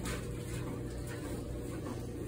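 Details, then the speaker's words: Frigidaire Gallery dryer after restringing a broken heating element coil that had dragged on the drum, and reflowing the control board solder joints: even low tumbling hum with no scraping, heating again. "no more scraping noise running good and we got heat"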